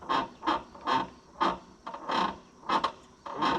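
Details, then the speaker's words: Chevrolet C65 truck: a sharp, high squawk with each throttle pull, about eight in under four seconds, coming from the linkage bracket at the firewall; dry, never-greased throttle linkage binding. "Yeah, it's definitely in that bracket in the firewall cuz I can hear it squawking. Singing that song about how it's never been greased."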